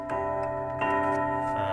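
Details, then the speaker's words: Old quarter-hour pendulum wall clock chime out of sequence after the lever was pulled at position three: three bell strikes ~0.75 s apart where only two should sound; chime train lost its place. "Contoh ini jadi kacau karena tadi saya menarik tuas di nomor tiga . Setelah berbunyi tiga kali, saya menarik tuasnya. Lonceng itu akan berbunyi tiga kali di sini, padahal seharusnya hanya dua kali."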